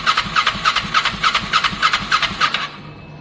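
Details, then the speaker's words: Kawasaki ER6n project bike, first start-up attempt on a borrowed new battery with old fuel in the lines: steady cranking about 3.5 beats a second, no firing, then stops. Crank no start; owner unsure whether spark is present, cause unconfirmed. "I mean, I'm pretty sure I can hear spark. I better put a bit more fuel in case there's not enough in there. And I'm going to keep turning it over, really."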